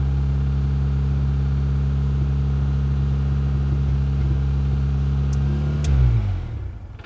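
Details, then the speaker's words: Geo Tracker that would not start, fixed by cleaning its single fuel injector with carb cleaner: smooth, even idle with a steady low hum and no stumbles, then clean shutdown. "here we go in three two one look at that folks yes she sounds great oh my gosh oh my gosh listen to her purr"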